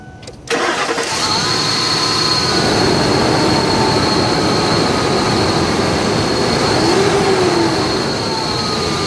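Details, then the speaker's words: Engine cranks and settles into a steady even idle with no ticking, just after a temporary muffler-weld patch on a leak at the exhaust manifold-to-pipe joint; tick expected to return with heat. "so it looks like the ticket noise has temporarily went away"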